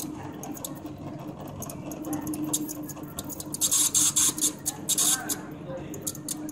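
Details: Toshiba e-Studio e4555c MFP hums with quick bursts of high squeaks from a dry upper exit roller; the noise was cured by lubricating the roller with WD-40.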